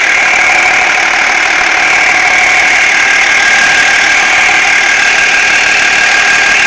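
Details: BMW E46 330d diesel idling: steady high whirring tone with a faint, loosely regular knock about three times a second, a weird noise from behind the power steering pump; cause unidentified.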